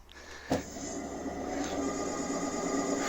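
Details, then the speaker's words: Electric moped hub motor that hummed and would not drive, after its Hall sensors were replaced: a click, then a smooth hum that climbs to a clean, even spin with no grinding or stutter, at the same speed as before. Repaired and working normally. "такая же скорость, всё работает, всё починено"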